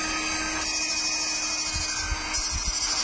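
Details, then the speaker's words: Electric fish shocker (strum) assembled for a Kalimantan order, run on a minimum 10 A battery (max 50 A), power knob set at 9 o'clock. Steady even buzzing hum with a high hiss, no dropouts: normal operation under strong load. "Ini di jam 9. Ini tenaganya udah besar loh."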